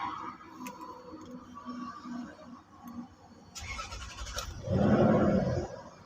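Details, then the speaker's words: Lexus 470 V8 after a starter repair that fixed a cracking, screeching noise on starting: short, clean crank, then the engine catches right away and settles with no grinding or starter squeal. Normal quick start. "जबरदस्त माशाल्लाह quick starting तो यह देखें इसकी starting बिल्कुल गाड़ी बिल्कुल smooth हो गई है जबरदस्त हो गई है"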